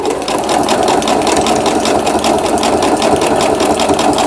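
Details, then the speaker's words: Riccar Quilt Friend digital sewing machine; slow speed is advised. Zigzag stitching gives a steady, even clatter of about 2.5 beats a second with no knocks or grinding; it sews cleanly. "이 패턴 버튼을 눌러서 지그재그 바느질이 되겠습니다."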